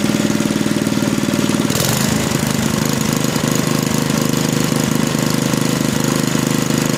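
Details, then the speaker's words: Small single-cylinder engine restarted after mechanical governor adjustment removed slack from the linkage; quick regular beat settles after a brief change and holds steady, the governor controlling maximum speed again. Normal governed running. "now when i restart the engine we should see that the governor is able to control the maximum engine speed once again"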